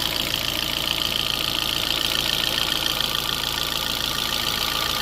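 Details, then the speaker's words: 2012 Fiat 500, about 116,000 miles, unrun for roughly a year, engine cover and breather removed so valvetrain is more audible: steady even idle with light quick valve tick, no knock; owner says it sounds normal; normal idle. "That honestly sounds normal. They just normally have an engine cover and a breather on top of that, so you don't hear all that, but they all sound like that."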